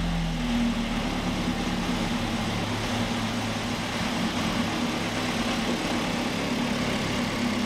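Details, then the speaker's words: Ford XR2 crossflow four-cylinder after fitting Omex individual throttle bodies: a steady, slightly lumpy idle with an even, crisp firing beat and no misses or knocks. Healthy, and described as much more responsive. "makes all the right noises it goes really well and it cruises it's much more responsive I'm happy that it sounds like a proper race car now"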